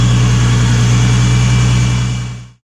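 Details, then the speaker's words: Supercharged Nissan 350Z after retightening leaking high-pressure fuel pump line: smooth even low drone, steady pitch, no misses or ticking, then clean shutoff; leak fixed. "well that certainly sounds much better than last time let's see if we're still leaking"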